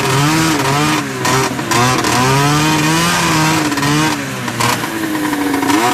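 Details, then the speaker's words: Olympique 377 two-stroke snowmobile, rope-started, with small exhaust under the hood: blipped up and down, harsh loud raspy exhaust note rising and falling with throttle; very loud, owner thinks exhaust bounces up under the hood. "See what she sounds like. Oh yeah, that's loud."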